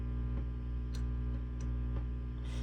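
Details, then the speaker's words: Peavey 5150 II tube guitar amp at full volume after replacing microphonic 470K resistor R82: steady low mains hum, chassis taps give only faint brief clicks with no ringing or feedback; microphony gone. "And the issue is gone. Now there's just barely perceptible change there."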